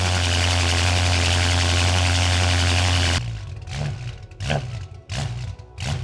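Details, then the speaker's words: 2012-era BMW M5, 4.4 L twin-turbo V8 with new valved exhaust, first start after install, vacuum line hole possibly misused: revs swing up and down unevenly on their own, about three surges in three seconds; erratic hunting idle, cause unconfirmed. "Something's not right. For some reason the revs are it's just revving weirdly by itself."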